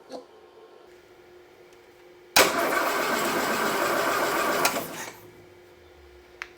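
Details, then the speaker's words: Freshly rebuilt Land Rover 2.25 petrol engine, first start attempt: the starter churns about 2.5 seconds with no firing. The fuel pump delivers no fuel even after prefilling, so the pump is bad. "I thought that maybe if I prefilled the pump that might help get it going, but no. Spilling stuff everywhere. Let's see what happens. This pump is bad."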